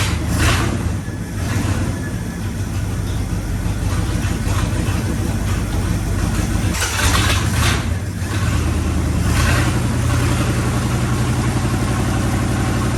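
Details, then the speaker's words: 1965 Acadian Beaumont neglected for years, cold engine after oil filter change and oil top-up: low, uneven idle with rough surges and dips, struggling to stay running, sounds starved and near stalling; cause not confirmed. "let's fire it up again and try to get to stay running this a little bit longer it's still cold"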